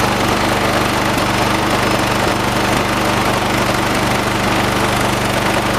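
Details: 1986 John Deere 216 16 hp single-cylinder tractor at fast idle during carburetor tuning outside: loud, steady chug, a bit rough and shaky but even, no distinct knock; rough running, shaking said normal for these engines.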